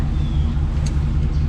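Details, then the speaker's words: 1991 Freightliner FL70 tow truck, believed 5.9 12-valve Cummins diesel, sat about 15–20 years; cranking on jump starter with van running: low labored churn, starter barely turns it, never catches; starter not locked, batteries too weak, need new ones. "now it's still not enough we need some new batteries"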